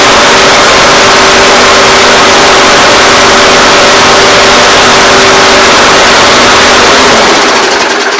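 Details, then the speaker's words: MTD mower with Briggs & Stratton engine that had zero compression. After a new plug and a try-start, the small engine buzzes evenly at about four pulses a second, then shuts off. It sounds healthy, and the owner plans a new head gasket. "okay I don't know about you but that sounds pretty good"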